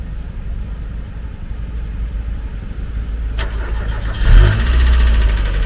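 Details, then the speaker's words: Used Mazda MX5 viewed for purchase, fitted with aftermarket coilovers, anti-roll bars and strut braces: brief crank, then the engine catches at once and settles into a smooth, even idle; starts up fine, a normal start. "get Rhino now starting up fine no battery there's no reason to believe started beforehand"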